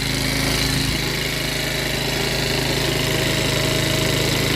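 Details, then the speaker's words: Chinese 50cc scooter revived after sitting, on a motorcycle lift, still warming up: steady, fast, even buzzing well above normal tickover; high idle, possibly fast warm-up, before idle screw is backed out. "time sounds pretty healthy still idling a bit High I'm waiting to see if that's warm up or"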